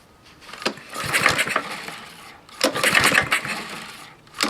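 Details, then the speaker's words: Husqvarna lawnmower, clogged air filter debris reached head and fouled plug, seemingly low compression: engine surges under throttle with sharp irregular snapping cracks; source unconfirmed, owner suspects bad rod. "that snapping sound that's kind of weird i'm gonna give it a little gas"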